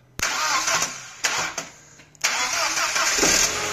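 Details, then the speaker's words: Audi B6 A4 1.8T with no-crank, no-start, starter hot-wired: brisk even cranking, a pause, then catches and settles into steady idle; starter fine, fault suspected in circuit from starter to key. "so i was able to hot wire the starter and start the car which which tell me the starter is fine"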